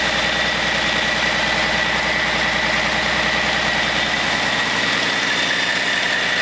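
Smooth, even diesel idle with a steady beat and no knocks or misses; sounds healthy.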